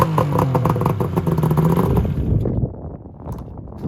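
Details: Yamaha Venture/SXR 600 triple snowmobile that bogs and backfires when slowed, still running poorly after a carb clean; TORS wires jumped, no fix. Stumbling putter with irregular pops, then it dies after two seconds; owner is sure one cylinder is dead.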